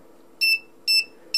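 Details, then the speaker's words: 555 timer astable circuit with light dependent resistor driving an active buzzer on the output pin; it beeps whenever the output is high, three sharp high-pitched beeps about twice a second, evenly spaced: circuit working normally. "you can see it beeps whenever the output is high so I beeps it keeps beeping that's all there is to it"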